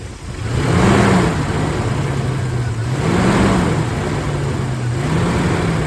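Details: Suzuki Grand Vitara XL7 with H27A engine: a low drone swells and rises in pitch with each press of the throttle, then settles back; owner unsure whether the engine, the clutch coupling or the fan is the cause.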